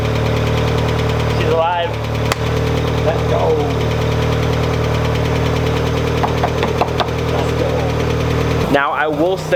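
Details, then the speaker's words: Automatic Mk2 VW Jetta with new starter, unmuffled, first run in about 1.5–2 years, oil unchecked: steady idle with light, fast ticking from the top front; valvetrain or lifter noise suspected, possibly low oil. "she is a little ticky in the front but i don't know the last time this car actually ran i think it's been about a year and a half two years or so"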